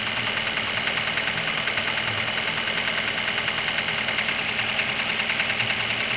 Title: Стук в двигателе